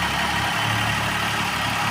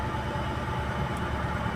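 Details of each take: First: Maruti WagonR petrol/CNG on petrol at idle once a bypass wire feeds the circuit: even beat with no stumble or missing pulse, misfire gone; original wiring found cut. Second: Maruti WagonR, company-fitted CNG and petrol, running on petrol at idle: rough, uneven idle with irregular stumble; misfires on petrol but fine on CNG, later traced to a broken injector wire.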